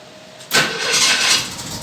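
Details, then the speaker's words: 1961 narrow gauge Bombardier snowmobile after repairs including timing fix: engine catches instantly and runs on at a steady, even idle with no stumbling; healthy start. "now this is what it sounds like when when you start it okay"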